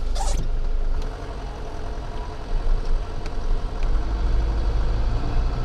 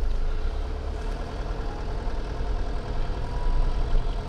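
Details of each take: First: Right front hub of a Nissan Pathfinder heard through a microphone on the hub while driving in frost: constant low droning rumble ("jur jur") under road noise without engine rhythm, a worn hub bearing humming. Several shops had blamed gearbox, differential or driveshaft. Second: Nissan Pathfinder, microphone mounted on the front hub while driving, owner chasing a noise misdiagnosed as gearbox, differential or driveshaft: even road roar with soft whooshing, no growl or hum; front hub bearing sounds normal.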